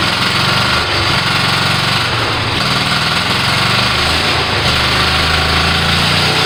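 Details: Kohler Command 18 hp twin after rebuild and carburetor work, first start: loud rattle at steady speed with a slight rolling surge; engine fires and keeps running on its own.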